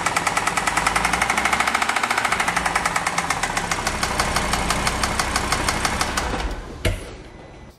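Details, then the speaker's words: Audi RSQ3 at idle: fast, regular light tapping, loudest at one spot on the engine and not from the timing chain, likely a valvetrain or lifter tick; it seemed to get worse when revved. "so to me it sounds like it's coming more pronounced from this area [Applause] here it doesn't sound timing chain I can't hear anything here no it's definitely coming from here"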